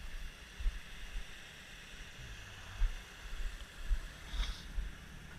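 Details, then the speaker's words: All-original 1967 Mustang coupe, 289 V8 survivor: low quiet steady rumble at idle, no ticking, misses, smoke or exhaust leaks; normal idle. "can hear it just run a nice and quiet super smooth no checking no smoking I mean no exhaust leaks or anything it's just a super tight car"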